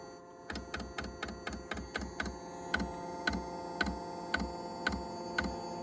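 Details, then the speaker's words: Chinese diesel heater in a 1992 Toyota Hiace camper, starting up: steady fan hum during preheat, then sharp, even clicks as the fuel pump normally begins feeding diesel. "So the fan is running, it's doing a little preheat cycle, whatever it's going to do. And it'll start clicking, you'll hear that fuel pump."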